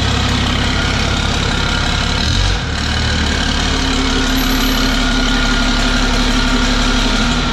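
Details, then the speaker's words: 1000 hp 6.7 Cummins Dodge Ram drag truck, warm, after loose flex plate/converter bolts were found and re-tightened: steady, even deep diesel idle thrum with no rattle or knock; death-rattle gone, normal idle. "took the truck out laid into it a couple times after she is warmed up got some fuel and everything's good no more Destiny's death-rattle whatever you want to call it"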